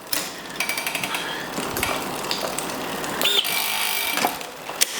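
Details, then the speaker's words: Giant Liv Avail Pro 0 with Shimano Di2, front shifting tested after reconnecting and reprogramming for the fitted gear size: short motor whirs and clicks, then a strained buzz and clatter as the chain jams; front derailleur misadjusted. "Well, that does jam a bit."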